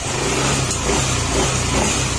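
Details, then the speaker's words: Yamaha NMAX 155 version 1 after engine overhaul for noisy engine: steady mid-pitched note rising gently with light throttle blips, no bottom-end knocking, much quieter than before; side cover still open; normal running. "may kayong naririnig Gawa kasi ng ano Nakabukas pa yung nasa gilid natin pero ibangiba na yung tunog niya"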